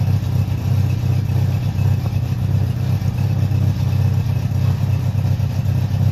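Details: Honda CB700SC Nighthawk inline-four after carb cleaning (previously wouldn't run without choke), non-ethanol fuel, 4-into-1 exhaust, no airbox; even four-cylinder burble at idle with crisp response to revs, no misses or knocks; normal idle and rev.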